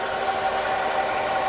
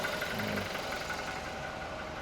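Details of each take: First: Used car, about 184,000 km on the odometer, idling: steady mid-pitched howl that doesn't change; abnormal sound, cause not yet known. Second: 2020 Toyota Revo single-cab low-rider, manual gearbox, ex-lease, about 217,000 km: steady, even diesel clatter at idle with no odd knocks or misses; engine sounds normal.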